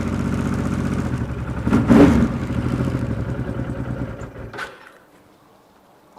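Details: Honda XRV750 Africa Twin (RD07) V-twin just after engine rebuild, carbs not yet synchronized, one cylinder a bit lean: fires up and holds an even lumpy idle for several seconds before shutting off; healthy-sounding fresh rebuild.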